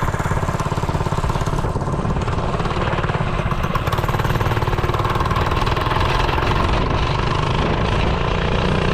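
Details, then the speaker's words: Brand-new 98cc Go Power Sports 3+ hp single-cylinder engine in a restored 1970 MTD Trailflight mini bike, started first time on full choke and still cold: fast even putter, steady firing, no misses; running cleanly. "Turn it on, full choke. That's one thing you gotta love about a brand new motor. They start the first time. Oh, she's still pretty cold."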